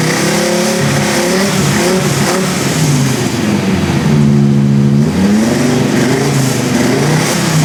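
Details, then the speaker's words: V10-swapped BMW E46 M3 after new earth straps and water pipes: revs up and down with an uneven, lumpy, ragged note; still misfiring, believed to be two cylinders down. "Yeah, we're working. Yeah, I think we're still 2 cylinders down."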